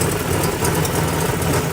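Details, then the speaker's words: 1987 Buick Grand National turbo, barely running, mass airflow sensor suspected shot: rough, faltering idle with a fast puffing tick over the rumble; exhaust leak suspected at the turbo, unconfirmed. "You can hear an exhaust leak. Sounds like it may be coming out of the turbo."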